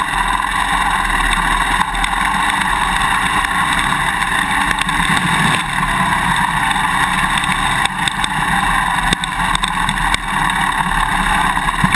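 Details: GoPro Hero 2 mounted on a dirt bike swingarm: rapid, irregular clicking over steady engine and road noise as the Quick Release Buckle vibrates in the Mounting Bracket; vibration plug or tape/straws between them reduces it.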